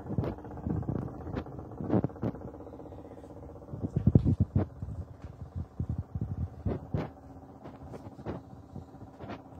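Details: Washing machine on spin heard through a wall from a neighbour's flat: dull, uneven low thumps and clunks in muffled bursts; loud banging, cause unknown.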